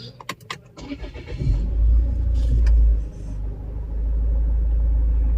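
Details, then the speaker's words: Land Rover Freelander after alternator belt tensioner repair: a few clicks, then the engine starts and settles into a smooth low idle with no tapping noise from the belt. "कोई आवाज नहीं नहीं। तो जो भी हो।"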